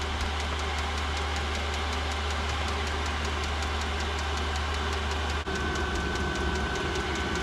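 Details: Newly installed diesel heater under an RV fifth wheel, first run: even combustion roar with a soft, regular fuel-pump tick about five times a second; heater running normally, blowing warm air.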